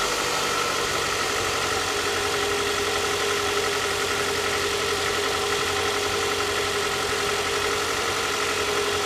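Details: Toyota Camry 40 with a 2AZ-FE engine at idle: steady idle with a fast, light metallic knock riding over the engine note. Knock from inside the engine, cause unknown.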